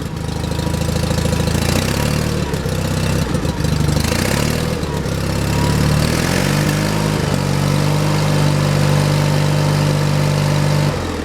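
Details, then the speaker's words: John Deere 316 lawn tractor engine in about 36°F cold, low on gas: chugs unevenly on choke, the beat wandering instead of settling; owner suspects the carburetor idle circuit is clogged, since it shouldn't need choke. "I'd say the idle circuit Jacks Clos is probably messed up cuz I shouldn't have to be choking it doesn't sound too bad now this is where it should be"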